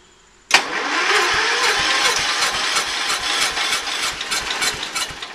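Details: Early-80s Ford LGT120 with a Kohler K301 12hp single, fitted with a new piston; weak battery. Starter drags through about five seconds of slow, uneven chugs, roughly three a second, without catching. Hard start warm or cold; owner suspects valves.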